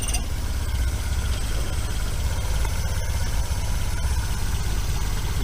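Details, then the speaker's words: Mk1 VW Rabbit 1.7L after a cat delete; a deep steady idle rumble with a faint puffing tick from the roughly welded pipe joint, which still leaks exhaust. "alright so we just half-ass welded that on there I mean it's like kind of mint but it definitely still has some leaks in it so I'm gonna start it up and we're gonna see how bad"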